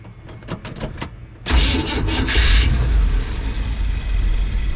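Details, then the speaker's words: Classic van with Edelbrock carburetor, sat over a week, cold start with choke not working: starter churns, engine catches then runs rough and labouring; owner suspects timing slipped, fuel or carb setup, unconfirmed. "ch's not working at all but like it's firing off it is struggling though so I guess we'll recheck the timing make sure it didn't slip at all"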